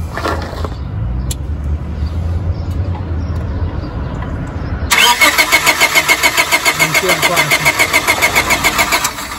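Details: 1997 Honda Civic 1.6L D16Y7, intermittent then total no-start, fuel, injector pulse and 150 psi compression fine, cranked by shorting starter with key on: steady turnover with no firing; no spark, failed ignition coil.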